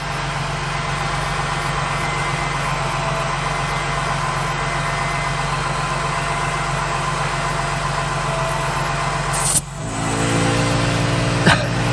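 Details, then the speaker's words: ARB onboard 12V compressor in a Ford Transit van, engine running: steady even buzzing hum over the idle, no knocks or labouring, inflating a tire from 25 to 49 psi in about 1 minute 15 seconds; normal operation. "so i reinflated the tire from 25 psi to 49 in about one minute and 15 seconds"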